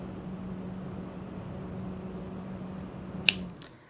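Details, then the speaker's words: Alphacool Eisbaer 280 radiator fan (private-labeled be quiet), compared with a rattling Cooler Master MasterLiquid ML240R fan: smooth steady hum without rattle or buzz, then clean spin-down; normal fan running. "I want you to listen to this big difference you notice no rattle"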